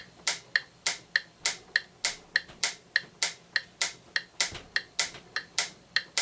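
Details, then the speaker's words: Franz FB-4 electric metronome from the 1940s–50s, all-mechanical and timed from the AC line frequency, with a grinding noise: its clicks near 100 bpm slowly drift out of phase against an online metronome, so its tempo is slightly off before scope calibration. "yeah you can hear those started getting a little out of phase"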